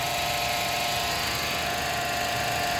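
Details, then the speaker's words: Honda Civic at idle, heard through a mechanic's stethoscope at the belt tensioner; loud steady whirring hiss with a fixed high whine. Worn belt tensioner bearing noise, before replacing tensioner and idler bearings. "So, yan. Maingay ang tensioner bearing ng Honda Civic."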